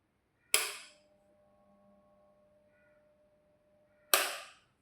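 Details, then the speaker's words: Household pedestal fan that fails after use or on the next day's switch-on: a switch clicks, a faint low hum sounds for about three seconds without spinning, then it clicks off; suspected capacitor or motor fault. "ഇത് സാധാരണയായി work ചെയ്തുകൊണ്ടിരുന്നതിനു ശേഷമോ പിറ്റേ ദിവസം നമ്മൾ on ചെയ്യുന്ന സമയത്ത് ചെറിയൊരു മൂണൽ ആയിട്ടുള്ള സൗണ്ട് ആയിരിക്കും നമ്മൾ കേൾക്കുന്നത് അതുപോലെതന്നെ ഇത് വർക്ക് ആകത്തില്ല"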